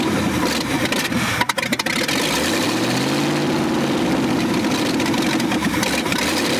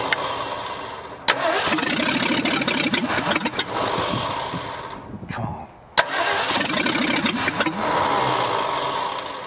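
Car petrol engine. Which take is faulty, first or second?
second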